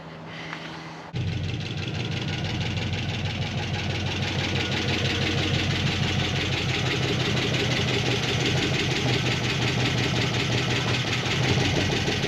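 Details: 1950 Cadillac hearse V8, before the lifter tick is fixed. After the start, the engine settles into a steady idle with a light, fast ticking over it from a noisy lifter.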